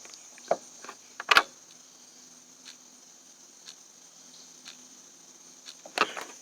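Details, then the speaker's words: 2014 Landmaster LM650 UTV with key on: faint even clock-like hour meter ticks about once a second over outdoor crickets, after a light left on drained the battery; ticking shows the meter works. "guys can see it sounds just like a clock and that if you hear it ticking like that that means your hour meter is working"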